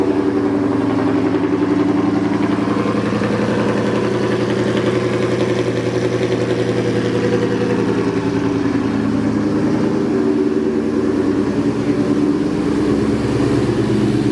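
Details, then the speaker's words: New 5.0 V8 car just flashed with a Lund Racing tune on E85, warming up before revs: deep, steady V8 burble with an even lope and no knocks or ticks; a healthy warm-up idle. "sounds good he's gonna let the car warm up and uh then i'll give it a couple revs and see what it sounds like"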